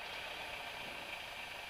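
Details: Light aircraft engine on the pre-takeoff run-up: throttle pulled fully back to check it ticks over. It settles to a steady, even tick-over with a smooth drone and no misses or surging. Normal idle.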